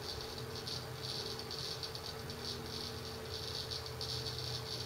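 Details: Seagate ST6000DX000 6TB 7200 RPM drive in enclosure running 4K read benchmark, gently moved; rapid irregular high-pitched seek ticking over faint hum, loud seek mode under vibration with no performance change.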